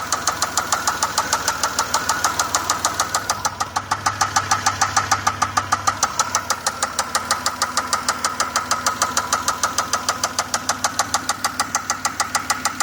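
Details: 2004 Pontiac Grand Prix 3800 Series 3 V6 with a loud, sharp, steady knock/tick about three times a second; began while driving, check engine light flashed briefly; rocker arms and rods checked OK, owner fears bearings.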